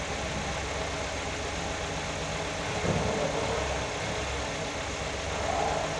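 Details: Nissan GA16DE petrol engine on first start after repair: steady, even idle with a soft low hum and no knocks or ticks, sounding healthy and settled.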